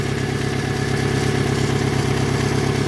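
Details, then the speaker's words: Toyota Camry 5S-FE after new oil pump, rod and main bearings, idling then revved: light, even tick about three per second; owner hopes it's an exhaust leak, not the rods or mains; unconfirmed. "little bit of a tapping noise that I don't know I'm hoping it's just that exhaust leak and not anything to do with the rods or mans that I did"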